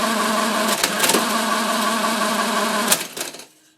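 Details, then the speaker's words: Monroe LA-5 motorized calculator running an automatic division: about three seconds of fast ratcheting clatter, then a clean stop. The cycle completes normally, although the counter register shows a wrong result. "that did a lot more than I would ever have guessed that is amazing and it worked well it's wrong here but overall it worked that's amazing"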